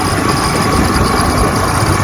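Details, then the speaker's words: 1960 Johnson 10 hp outboard on a 14-foot Feathercraft on the lake, after gearcase rebuild and carburetor adjustment: steady, even low burble at idle with no misses or knocks. Normal idle. "I went through it real good on the carburetor adjustments, and it runs great. Idle's great."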